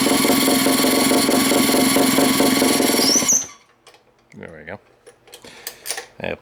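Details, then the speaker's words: Pull-start gas rat bike, small single-cylinder engine: fires evenly at a quick steady beat for three seconds, then shuts off; pull start noisy but engine runs clean and healthy. "starts noise you got to go deal with that but other than that sounds good don't it I think she'll be just fine"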